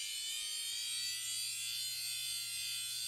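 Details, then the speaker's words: Dell Dimension 3100 with replacement 160 GB Western Digital hard drive; thin steady high-pitched whine with faint airy hiss, another bad hard drive. "It's very clearly the hard drive, and probably another bad hard drive, but for a different reason."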